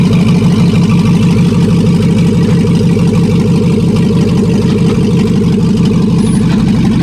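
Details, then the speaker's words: Bronco II crawler with a newly swapped 2005 5.3 LS V8 and Turbo 350 transmission, cold start with no exhaust: a loud, raw idle with a steady, even lope of about three pulses a second and no knocks through open manifolds; normal cold idle. "let you guys hear it it's pretty loud just open manifolds right now"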